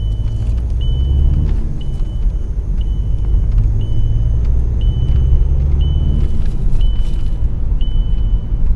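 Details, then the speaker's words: Volkswagen Passat diagnosed for an engine warning light, after the fuel system bled itself: even low engine rumble with a steady once-a-second chime; it runs smoothly, normal, and the light went out. "Le ronflement que vous entendez là, si toutefois ça vous arrive d'entendre ça, eh bien c'est ici. C'est la pompe de préalimentation."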